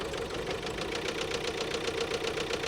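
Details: Bought-as-non-runner 2021 Ford Transit diesel, turbo taken off, fault codes cleared after flat battery, air likely in fuel system: quick even ticking about seven per second over idle clatter; top end noisy, cause not yet known.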